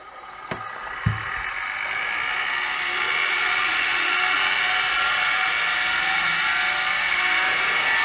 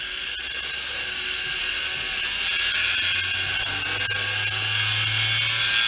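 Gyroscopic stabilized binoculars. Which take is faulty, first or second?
first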